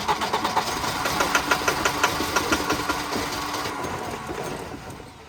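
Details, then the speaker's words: Wrecked Volvo 240 B230 after sitting, coil replaced, fed fuel directly into an intake port: engine catches in quick uneven bursts, about three per second, then fades instead of idling; starving for fuel. "Well, it wants to run. This thing jumps around a lot. Yeah, it's just not getting enough."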